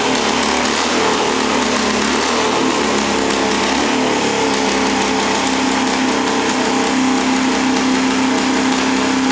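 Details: Small engine, previously refusing to start and suspected flooded, running in the workshop: loud, steady, fast buzzing at an even pitch without missing or sputtering; normal running.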